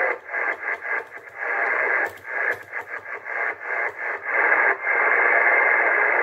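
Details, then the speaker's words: Cobra 148 GTL CB radio with no band propagation: steady, unevenly pulsing hiss with no whistles or dropouts; normal receiver static, reception working fine. "Não tem propagação, mas ó. O rádio tem recepção normal."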